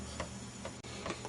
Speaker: See the needle fluctuating, bouncing. In fact, it's bouncing so hard you can hear it tapping.